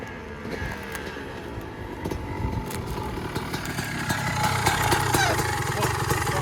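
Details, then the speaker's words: 2003 Honda CR250R two-stroke, sat about two years with the carb cleaned, is test-ridden before a trike conversion. A crisp, buzzy climb in revs outdoors with no bogging or misfire; it's running healthy. "Sounds good, dude. Sounds good. Thing rips."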